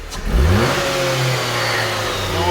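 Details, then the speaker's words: Jeep Compass engine revving with a light metallic rattle that follows engine speed, heard before the cover is removed. The timing chain was then replaced. "I can hear the rattling. I'm just going to remove this cover."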